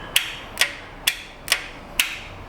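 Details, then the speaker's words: 2006 Honda Accord with new battery and no-crank condition: six sharp solenoid clicks, about two per second, no cranking; test light shows supply voltage collapsing at the starter when cranking, not simply a bad starter. "so every time I try to start it we we lose all of our av voltage down"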